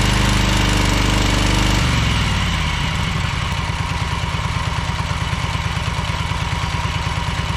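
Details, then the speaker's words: Ferris 52-inch commercial hydro walk-behind mower, twin-cylinder, before repair: smoking, low on power and worse with PTO engaged; drops from high run to uneven lumpy chug, one cylinder dead, traced to a bad carb O-ring blocking a fuel jet. "the key switch is a little finicky but yeah you can here and see it's smoking and especially when you engage the PTO it runs even worse it doesn't have a lot of power"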